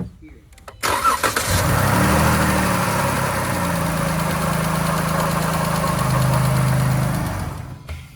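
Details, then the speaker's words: 2013 Chrysler 300, 3.6 Pentastar, 199,000 miles, in for a water pump and coolant leaks: engine catches and settles into a fast idle with a light, quick Pentastar lifter tick; lifters needed. "it has that pendar tick baby so yeah he's going to need some lifters and the whole thing"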